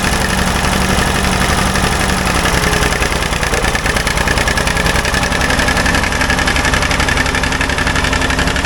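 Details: Old Ford loader backhoe, long unused, fast uneven idle with irregular pops and spits through the exhaust; mechanic suspects it isn't getting full gas flow, as a fuel line connection leaks gas badly; cause not confirmed.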